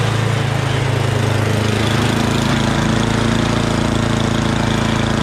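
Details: MTD Yardman 8.5HP 26" two-stage snowblower after a carburetor clean: small single-cylinder engine idling at a quick even putter without surging or misses. The clogged pilot jet was the cause; still vibrates with the auger engaged.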